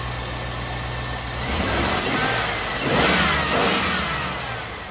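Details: Chevrolet Tahoe V8 with a P0300 misfire code after swapping to a 2006 ignition system with lower-mileage coil packs: it settles into an even idle, then revs up cleanly and drops back with no stumble or miss.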